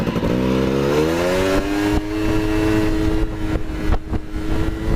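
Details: Honda Cub EZ90 two-stroke, run on a substitute battery since the original is dead: the engine fires, climbs briefly, then settles into a steady, even buzz with no knocks or misses. Normal running.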